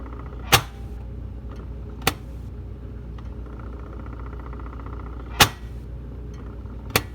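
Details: Whirlpool side-by-side refrigerator making four sharp, irregular knocks, roughly 1.5 to 3 seconds apart, over a low steady hum; the knocking's cause is unknown.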